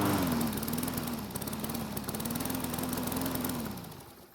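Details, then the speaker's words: Poulan mower that wouldn't start after long outdoor storage, test run after oiling the air filter and priming: small single-cylinder engine putters evenly with a slightly wavering pitch, then winds down; it seemed not to want to stop. "so this time everything went well except at the end because it seemed like it didn't want to stop"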